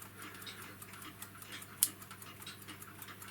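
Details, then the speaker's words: Tri-ang Super 4 model railway point with homemade replacement R.490/R.491 operating lever spring: one crisp click as lever snaps back under spring power over faint ticking; spring holds points set properly. "there you can hear it clicking back under the power of the spring"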